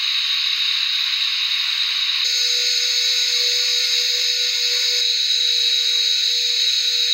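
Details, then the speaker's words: BetaFPV 1102 13,500 KV brushless motors on 1S in HX100SC quad, bearings throughout, tested for effect of bearing oil; high clean whine shifting pitch with throttle, no grinding or rattle, bearings smooth: normal brushless motor run. "moving up in size these are beta fpv 1102 13,500 kv motors running on one s this is my H X 100 SC now these motors do have bearings all the way through and so I don't expect the oil to make a big difference but let's see"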